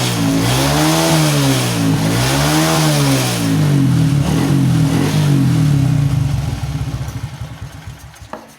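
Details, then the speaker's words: Honda Supra X 125, fuel-thirsty, after fitting a Jupiter regulator-rectifier and a Shogun 110 CDI: single cylinder revs up and down smoothly and idles well, with no stumble or misfire at high revs. "Ini berfungsi dengan sempurna, teman-teman. Suara mesin saat idle terdengar bagus dan tidak tersendat pada putaran tinggi."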